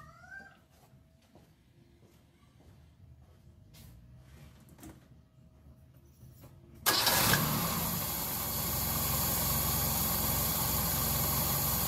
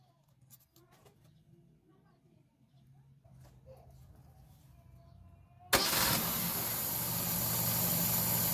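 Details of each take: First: Car with carburetor at idle, low-speed jet under check for too much or too little fuel; engine catches and settles into loud lumpy idle, shaking a lot; rough uneven idle. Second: Carbureted car engine after fitting an intermediate-size low-speed jet to cure an uneven, shaky idle: starts at once and settles into a steady, even idle with no hunting or misses, accelerates well; normal idle.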